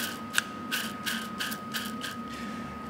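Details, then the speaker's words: Release bearing from a 2012 Ford Focus Mk3 1.6 5-speed manual gearbox that lost its oil and jammed in gear, spun by hand after removal: gritty rasping bursts with a thin ring; rough, worn clutch release bearing. "yeah that's knackered anyway you can hear that bearings noisy as hell"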